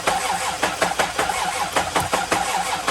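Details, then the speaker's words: Old Toyota engine after cracked head repair and new starter; long cranking with uneven beats about twice a second and one weak stroke before starting, then runs horribly with misfires on cylinders 5 and 6; hard start. "And it didn't start up right away. It took quite a bit of cranking, but once we did get it started up, it was less than disappointing. Yeah, the engine ran horrible."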